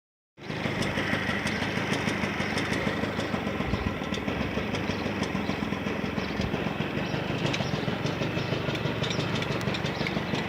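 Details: Honda Lead 90 scooter engine running fast and rough, with a loose, uneven knocking under the clatter; cause unclear. Engine knock.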